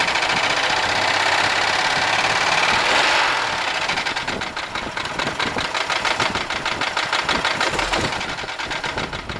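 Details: 1995 Buick LeSabre 3.8 V6 at steady idle with a sharp, even tapping about three knocks a second; seems to come from the left side, owner suspects valvetrain knock, valve staying open or closed; cause unconfirmed.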